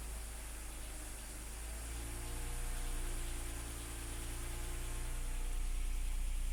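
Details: BMW E53 X5 3.0 six-cylinder engine at cold idle after a cold start, light quick rattle under its steady hum.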